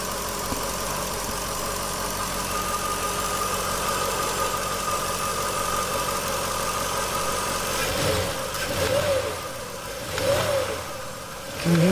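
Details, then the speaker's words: Jaguar XK8 AJ26/27 V8 with metal secondary timing chain tensioners fitted, idling then revved: faint slight knock or rattle on the revs; suspected timing chain wear or primary tensioner failure, unconfirmed. "in his first video he um it shows the engine running and that revs the engine and you can hear an ever slight knock or rattle just let it take a"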